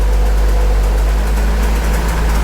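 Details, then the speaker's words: Warm engine idling around 750 RPM, coolant at 194, 26 psi oil pressure on warm oil: deep even idle, steady rumble, no drone or beat, getting quieter; smooth idle. "There we go. I think the engine's getting a little quieter. Still got 26 pounds of fuel or oil pressure even with warm oil."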